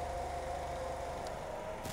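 Petrol engine idling smoothly and evenly, with no stumbles or skipped beats.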